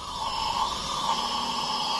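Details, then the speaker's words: Volvo T5 engine, not run for at least two years, on leak-down test after retiming, showing very high leakage: steady hiss of air escaping at the exhaust, none from the inlet; leakage past the exhaust valve suspected. "Now you can hear air coming out of there,"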